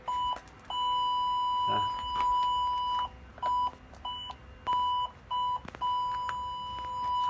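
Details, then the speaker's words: 2012 Fiat 500 TwinAir with a newly fitted Hawk reverse parking sensor kit, ignition on and in reverse; clean high-pitched beeps in bursts that shorten as objects get closer; the parking sensor buzzer is working properly. "So if I stick it, I turn the ignition on, put it into reverse, it gives you the beep."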